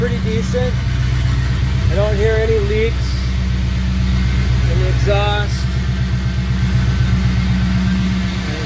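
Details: 1952 ex-Navy truck engine, first fire-up with initial timing just set: a steady, even low rumble from the tailpipe with a regular idle beat and no ticking or puffing. The exhaust sounds sealed and healthy.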